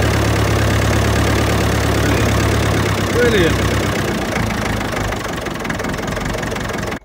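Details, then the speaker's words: Ferguson TEF-20 vintage tractor, warm after a cold start, idling smoothly with even chugging at about four beats per second and no misses or knocks. "okay idling nicely now"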